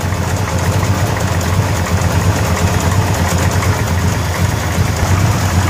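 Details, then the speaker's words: 1933 Buick Series 60 street rod with 454 big-block V8 just after cold start at about 68-69°F: deep steady idle with faint light tick, GM wrist pin noise; no obvious smoke. "Engine starts up cold, no obvious smoking. A little bit of that GM wrist pin noise that is often heard on GM engines."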